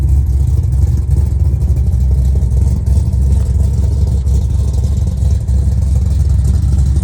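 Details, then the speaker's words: Restored 1970 Plymouth Road Runner V8 with Tremec 5-speed, finished restoration; deep steady rumble with a bit of lope rising cleanly on revs, exhaust not too loud, healthy. "And it's got a bit of a rump. And when you go down the road, the sound's not too bad. It's not too loud."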